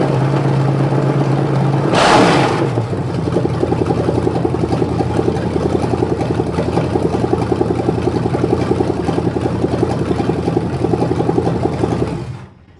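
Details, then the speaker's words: Start and idle of a '73 Canadian truck 350 small-block Chevy, rebuilt with a replaced piston and rod, big cam and fuelie heads, for a Rambler. Two pumps of gas, then it cranks, catches at once and settles into a steady lumpy idle with no knocks. Owner calls it just about perfect. "I think that engine's just about perfect now"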